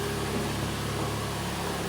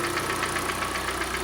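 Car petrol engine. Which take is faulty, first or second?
second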